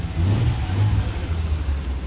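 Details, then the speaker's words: 1998 Nissan Skyline R34 RB25DE NEO newly turbocharged, Nistune ECU, NISMO muffler, on the street after first start: deep, even exhaust note rising and falling smoothly with throttle, no knocks or misses; healthy turbo six. "Oh, it sounds good too. It's awesome. That sounds gangster."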